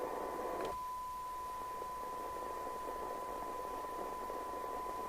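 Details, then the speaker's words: Team Euro3100UK CB27/81 CB radio base station during service alignment, squelch turned down: steady even hiss with a faint constant tone, clean healthy receive audio; normal open-squelch receiver noise, later measured about 0.45 µV for 12 dB. "Turn the squelch down. See, this sounds right."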